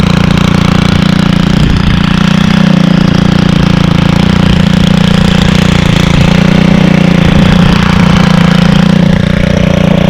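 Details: Stihl 27cc two-stroke trimmer (same engine as FS38/46/55) started on second pull: loud, steady buzzy drone at even pitch with no misfires or rattles, sounding like an ATV when revved; normal running.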